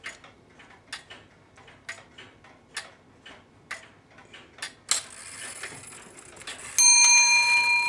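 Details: 1770s Jeremiah Fellows tall case clock under restoration, new cord on main wheels, running on a borrowed stand and light hollow pendulum (normally about 2 lb): even tick about once a second, warning click, then a clear bell strike; normal ticking and striking.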